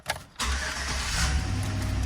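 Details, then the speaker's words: 2011 GMC Sierra just after spark plug and wire replacement (old plugs had widened gaps; check engine light now off); a quick crank, then a smooth, even, low rumble with no misses. Normal start and idle. "Oh, that's... Ooh, it's running like a kitten. It's purring like a kitten now. All right, we got all the plugs and wires done. It definitely seems to be starting and running better."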